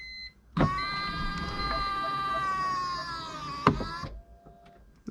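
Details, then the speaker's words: 2005 BMW E46 325Ci convertible, after replacing the plastic top latch motor gears, key on with top closed: smooth electric motor whine for about 3.5 s ending in a latch click; latch works, though the hydraulic pump seems too weak to open the top. "top is closed we we went ahead and closed it so we'll go ahead and do key on and see if our gears are working on latch"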